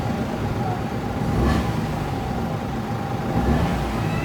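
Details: Toyota Wigo petrol engine idling steadily with even low hum, no skips, after fixing a moving injector wire that caused check-engine light and misfire and clearing codes.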